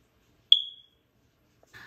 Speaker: right so most of us probably already know what that sound is it's the dreaded smoke alarm chirp letting you know that your nine volt battery is about to be dead